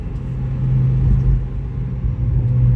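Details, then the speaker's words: Car exhaust with all four rust holes patched with license-plate patches and hose clamps: deep, even rumble as the engine revs, no raspy puffing or hiss from a leak; much quieter, exhaust sounds sealed. "Oh my god! It's so quiet! Holy crap! And this is with both holes on the exhaust filled with license plate patches and 2 hose clamps. Like, it's great."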